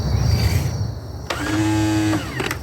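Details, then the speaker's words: Kohler Courage engine on a Cub Cadet lawn tractor, cranked before any oil was added: a short, high electric whine with no cranking rhythm as the starter spins freely. The starter Bendix drive is not engaging. "well you got a Bendix issue all right all right no point in putting oil in it fellas"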